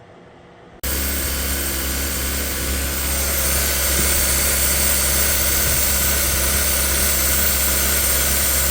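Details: 2017 Kia Soul 1.6 GDI non-turbo after low-compression fix via valve clearance adjustment (previous cylinder 1–3 misfires, rough idle): brief crank then steady even idle, no misses or knocks, healthy.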